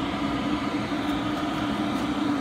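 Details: Cheap eBay 12V 5kW diesel air heater on a bench test, combustion underway with quite warm air at the outlet: steady, even fan roar with a constant mid-pitched hum, no rattles or surging; running normally.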